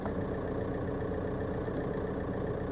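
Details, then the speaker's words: 2002 VW Golf PD130 diesel after injector wiring loom replacement, heard from the cabin: low, even idle, steady with no shake, vibration or stumble; running smoothly as it should. "there's there's no vibration it's it's running just like it should run"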